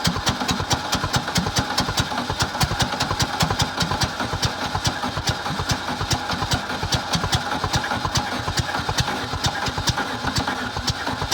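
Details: VW Bug engine with new plug wires, ignition coil and distributor, gas poured in carburetor and fed from a bottle: rapid even cranking, about 2.5 beats a second, uneven firing that won't catch; hard starting from slightly retarded ignition timing.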